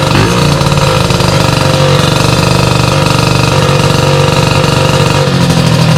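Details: Sym DD50 moped with a Polini Corsa Mini engine build, after jetting was corrected: crisp two-stroke buzz that idles steadily and picks up cleanly on small blips, with no misses or rattles; normal idle and revving.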